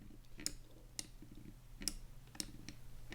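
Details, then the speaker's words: Cooler Master MM710 53G gaming mouse: five crisp right-button clicks with a faint, dull creak of flexing plastic on each press, even without hard pressing; only the right button creaks. "alright so were you guys able to hear that kind of creaking whenever I press down on the right click there"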